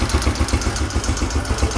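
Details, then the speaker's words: Yamaha YBR125 four-stroke single at idle: the air suction valve pulses audibly and can be felt, activated by each intake-stroke vacuum. Soft regular pulses; normal. "जब मैं bike start करता हूँ तो ये एक आवाज़ आती है, ये एक पल्सेशन इसमें आवाज़ आ रही है पल्स की,"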